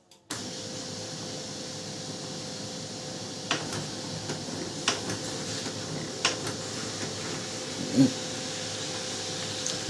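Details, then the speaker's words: Canon LBP6030 laser printer after repair of its gear sound problem, printing a test page: smooth, steady hum with light paper-feed clicks, no grinding or gear chatter; prints clean and clear, the noise is solved. "Pin command है यहां पर ऐसे ये देखिए print clear है clean है ठीक है बहुत अच्छी तरह से यहां पर प्रिंट भी दे रहा है"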